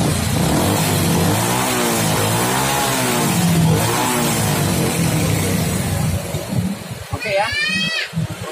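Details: Honda Supra X 125 single-cylinder after carburetor setting, screw turned out about two and a half turns (Honda standard): even idle with smooth rises and falls as throttle is blipped, then settling back; normal idle and revving.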